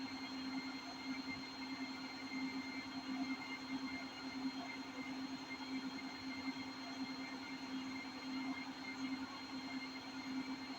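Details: Hotpoint 8kg NSWM 843C Invermotor washing machine at 1400 rpm top spin: steady whirring roar with constant hum, no rhythm; owner says bad drum bearings.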